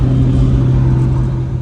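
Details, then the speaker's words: Nissan R32 GTR light driving after new Koyo radiator, Godspeed Mono Max coilovers and alignment, no overheating; steady smooth low engine drone with no knocks or misses, engine healthy; owner suspects a passenger-side rear wheel bearing noise. "Oh, car's feeling really good and healthy."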